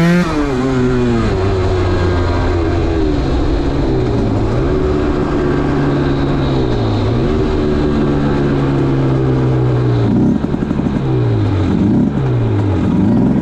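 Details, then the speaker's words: 2010 Aprilia RS 125 two-stroke on a VHSB34LD carb (162 main jet, K57 needle top clip, B36 pilot, air screw 2.5 turns): revs climb smoothly, then break up and stutter around 6,000–7,000 RPM before clearing. The stock needle runs the midrange rich; a K21 needle leans it. "Off camera, I've since been for a few small rides around the block and found the bike has lots of power but has a famous stutter around 6,000 to 7,000 RPM."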